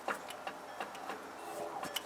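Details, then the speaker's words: 1992 Toyota 4Runner, four-wheel drive, 280,000 miles: rocking the stationary front wheel gives sharp, uneven clicks and knocks. The owner suspects worn or loose wheel bearings, loose on the back side near the CV axle; not confirmed. "yeah loose okay so in the spirit of the quick and dirty let's just look and see what we have here"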